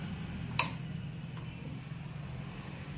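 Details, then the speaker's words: Yamaha FZ-S motorcycle that had a starting problem, with the starter and fuel pump not working, after its kill switch was cleaned with emery paper. At key-on there is a click, then a steady low hum as the fuel pump primes normally. "य आपको fuel प motor की आवाज भी सुनाई दे रही होगी चाबी ऑन करने के बाद आती है"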